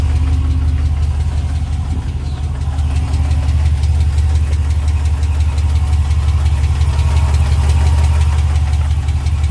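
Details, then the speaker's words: 2020 Ram Hemi pickup with 12,450 miles, remote cold start after sitting about two weeks: steady light tick about three per second over the idle, first time heard; gone after restart a minute later; owner suspects lifter tick, unconfirmed. "just remote started my truck. Listen to this ticking."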